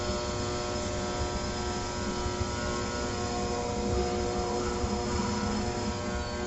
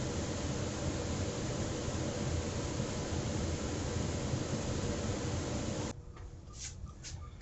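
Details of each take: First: Trane XR80 gas furnace, lower burner panel open, gas running: a steady strained hum with faint rough churning and no rising fan whoosh; the blower motor is trying but failing to start while everything else runs. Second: Trane XR80 gas furnace just after the blower motor was replaced, test run before reassembly: a smooth, steady fan rush for about six seconds with no scraping, ticking or hum, then it stops; the new blower sounds fine.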